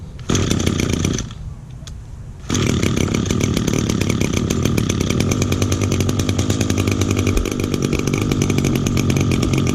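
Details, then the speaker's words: 2010 Echo SRM 225 two-stroke string trimmer, first start of 2019 on choke with little fuel, cold; rough uneven idle, wandering and bogging, left to idle and warm up before running cleanly. "Let it idle for a little bit because it's a little boggy."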